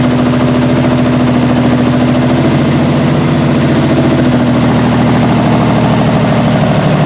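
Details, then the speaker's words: 1968 Triumph TR250 first start after restoration, carb linkage loose, timing not set: steady idle with slightly uneven lumpy beat, no clean rhythm; runs rough, needs carb linkage and timing adjustment. "all right so it runs and obviously needs a lot of adjustment as far as the linkages to the carbs are concerned as far as the timing is concerned so we'll work on that but at least it starts"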